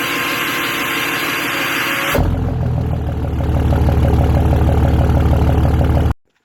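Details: 5.9 diesel VGT swap after a new actuator: cranks briefly, then steady diesel clatter at idle; no squeal from the manifold area.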